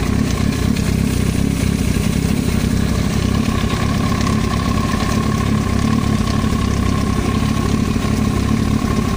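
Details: Yamaha YZF-R1 at uneven idle with a dull tapping over the engine beat, a knock in the cylinder head area; engine top-end knock.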